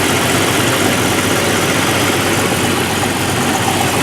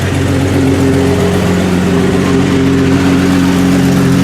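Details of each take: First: 1989 Jeep YJ after the new exhaust system was installed: even, steady idle with a smooth hiss, much quieter than before, no ticking or leak puffing, running cleanly. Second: 1989 Jeep YJ at idle, exhaust far louder than it should be, forcing shutdown at drive-throughs: loud, raspy, blatting idle with a hard edge on each firing pulse, before the exhaust system replacement.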